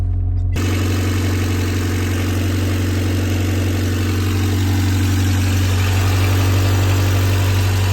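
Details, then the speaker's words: 1989 Honda Civic EF sedan idling just after its first start from non-running; steady, even low hum with no knocks or misses; owner suspects a bad alternator; normal idle. "Pretty decent. That's an oldie, but it doesn't sound too bad."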